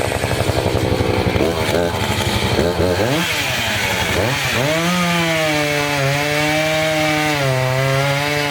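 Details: Two-stroke chainsaw cutting a dirty, sandy log: it bogs and drops pitch under load, then climbs and wavers as it cuts. The chain is getting dull from the sand.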